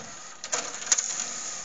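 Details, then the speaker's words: Laserdisc player with two trays, a small one for DVD/CD and a large one for laserdiscs. Sharp clicks and a short hissy whirr as the mechanism shifts and flips the laser heads. Really noisy, but this is its normal loading operation. "one small for the dvd and cds it's really noisy as you can hear the mechanism flips the laser heads such and this ridiculously large tray for laserdiscs"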